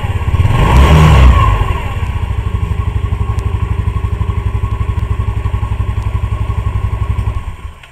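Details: 2008 Yamaha Mio Sporty scooter after replacing a shredded CVT V-belt; a brief rev, then an even low thumping idle at about four beats a second until shut off; the belt drive runs smoothly.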